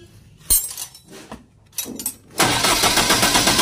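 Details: Diesel genset, hard starting: several sharp bursts and rough cranking, slow to catch, settling after about two seconds into a fast, busy run. Fuel found to contain water; being drained and replaced with fresh diesel, return hose checked.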